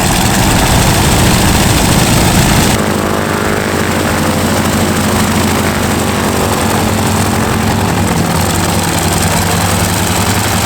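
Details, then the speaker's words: North American T-6 WW2 trainer's radial engine, sat 12 years, after first start: loud steady low rumble, even firing beat near 160 a minute, no misses or knocks; healthy idle. "It runs. It runs. It fired up. It was a little more adventurous to crank up than the other one."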